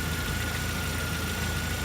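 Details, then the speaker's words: Jeep TJ at steady idle after cooling-system work (new thermostat, water pump, spark plugs, distributor cap, rotor), 70/30 coolant mix, no leaks; heater now working again. Smooth low rumble with a faint constant whir, no misses or knocks; normal idle. "all right she's now running we've got some good news very good news we got Heat again I'm loving life"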